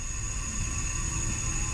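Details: Race car leak-down test: cylinders four and three show about six percent leakage, but cylinder two leaks with a steady thin high whistle over a low hiss from a bent valve; the head must come off.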